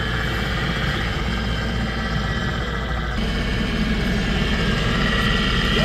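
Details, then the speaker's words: 2008 Toyota Kluger rear A/C not cooling, blower fan motor after new carbon brushes fitted: steady fan whir with soft even hiss because the new brushes haven't seated on the slip ring yet; should quiet with use. "it's making a noise guys guys because the carbon brass is not totally sitting it and the sleep sleep ring guys so as uh The Works continue working it will uh grind the carbon brass and it will totally become pit on the slip ring and that noise will come out guys"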